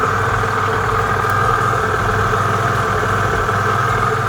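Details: Piaggio Vespa 50 LX two-stroke scooter on its first cold start after a carburetor adjustment, starting without throttle. It gives a steady, even buzz at constant pitch with no misses while warming up at idle; healthy.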